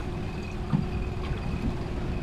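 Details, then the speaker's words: Small skiff outboard just restarted after repair (new spark plugs and general maintenance after it died); low even burble at idle, no misses or knocks, over wind noise; now idling very smoothly. "Okay, that's way better. It's very smooth."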